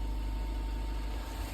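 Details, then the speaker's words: 1992 Honda Prelude 4th gen petrol after loosening/cleaning the IACV to cure surging idle: engine idles with steady low hum, no surging or hunting even after a small rev; bouncy idle fixed. "and I'm not getting any lumpy idle I've given it just a little Riv but I'll give it another little one well that seems to have fixed it"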